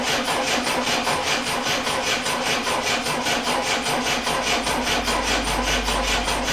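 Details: Triumph Dolomite first start attempt after refitting camshaft cover and setting static ignition timing, battery 12.9 V, starting spray into intake: starter churns steadily about two and a half beats per second, never fires; no spark, no power reaching coil.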